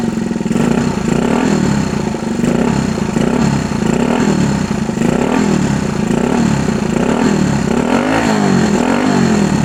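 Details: 1964 Honda Super Cub CA102 after full top-end rebuild, throttle blipped: single revs up and settles back cleanly about every second and a half, even beat between, no misses; good compression, no smoke, running really good.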